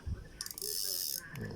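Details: Daiwa Sprinter ST3000X spinning reel, handle turned by hand: a short burst of soft, even ratchet clicking and a light whir with no grind or catch. The reel rotates smoothly and normally.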